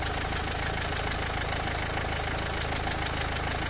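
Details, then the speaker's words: Renault Duster, bonnet open, before oil treatment: light steady ticking knock about three per second over a smooth idle, heard only at idle and gone completely above 2000 rpm. "पण हा sound थोडासा गाडी running condition मध्ये असताना आयडलिंगला तेव्हाच येतो गाडी 2000 RPM च्या वरती गेल्यावर हा साऊंड पूर्णपणे बंद होतो आयडललाच हा साऊंड येतोय"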